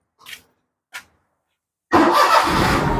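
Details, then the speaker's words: Perodua Myvi 1.0 / Perodua Viva that cranked but would not start, after a faulty ECU was found (wiring, grounding and crankshaft sensor all checked OK); on a jump-started weak battery, two clicks, then it fires at once into a steady even idle. Radiator is cracked. "Nah, bateri sudah hidup kereta nih. So, ini kereta nih sudah hidup ha, tengok RPM."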